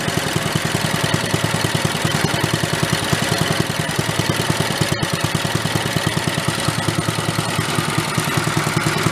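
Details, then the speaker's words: 1965 Chevy Corvair Monza go-kart, new small engine with stock muffler, idle set slower: slow, even putt-putt about three beats a second, no misses or knocks; normal slow idle. "we make a idle slower right there see how well it'll putut"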